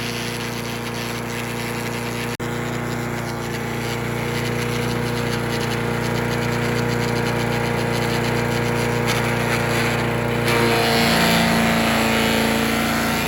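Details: Troy-Bilt chipper/shredder, rough after carburetor reassembly but now running great, chipping branches on the second day: even hum deepens slightly as branches feed through, then recovers; normal running under load. Owner suspects rocks damaged the blades.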